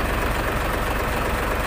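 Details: Mitsubishi Fuso 6D24 diesel engine, shown in a fuel leak and hard starting fix: steady low diesel clatter at idle with an even beat and no misses or stumbles; settled, healthy-sounding idle.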